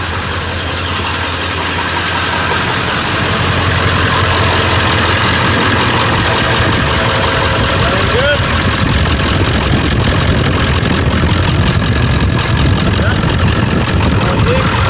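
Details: 7.3L Powerstroke diesel just after fuel filter replacement and priming, in neutral: loud deep idle settling after a few seconds into steady even clatter, sounds healthy. Normal idle, no leaks.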